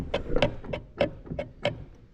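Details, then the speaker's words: Lawn mower ticking about three times a second over the running engine: a deck part bent when the mower hit a low spot and a stump is catching as it turns. Fix is bending it outward with an adjustable wrench. "Because like I said, when I was mowing, the mower hit a low spot. This end hit a stump, and that is the result in that noise."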